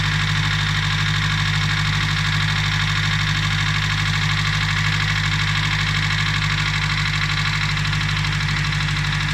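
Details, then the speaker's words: Nissan Primera P11 SR20DE after an oil change: steady idle with a light even tapping from the top end; owner suspects hydraulic lifters and thick oil, not confirmed; ticking at idle. "Вот отсюда звук. Гидрокомпенсаторы. Масло густое."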